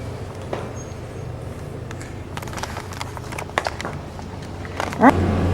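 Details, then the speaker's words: Older electromechanical elevator relay controller with no CPU, car sitting at floor four about to go down: sharp relay clicks in uneven bursts over a low steady hum, normal controller switching. "now that's a quick look at how elevators work"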